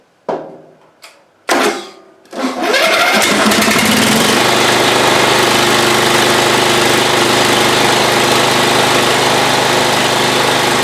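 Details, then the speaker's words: Old Ariens, sat in shed a couple of years, battery jumped, running on old stale gas: after a few failed cranks the small engine catches and holds a steady even buzz with no misses; running fine again. "so well that's amazing i did not think it would run off that gas that was in there because i could smell it just sitting next to it but hey it runs again"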